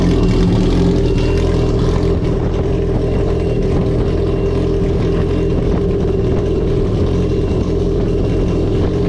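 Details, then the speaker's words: 2021 Yamaha RXP-X 300 Stage 3 jet ski, first start after valve spring and retainer replacement, with the intercooler off, charger oil primed and the fuel beeper sounding. Loud, steady, even run with a deep note and no knocks or misses. "so yo that thing sounds rowdy man"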